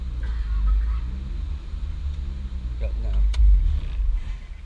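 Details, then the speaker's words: 2006 Honda Accord J30 with nitrous, dual throttle bodies and Hondata Flash Pro, on a dyno. Heavy idle that rises and sags like a vacuum leak: surge from a map corrupted during a software update, fixed by remapping. "It was surging like it had a vacuum leak, which it has before. Not a vacuum leak, but the map has been corrupted and it's had that surge."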